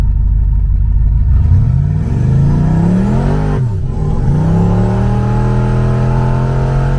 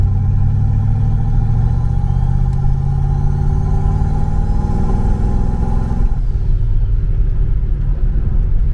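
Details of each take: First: Blue boosted car driven home in the evening after a misfire was fixed that day, boost controller turned up a little: the engine pulls smoothly up through the revs, dips on a shift, then climbs cleanly again without stumbles or popping. Normal running under load. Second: Car started cold in South Carolina, misfire that did not improve once warm and popping out the tailpipe under boost: low idle swells and sags unevenly with occasional skips, surging more than normal before shutting off; misfire with surging idle, cause unknown.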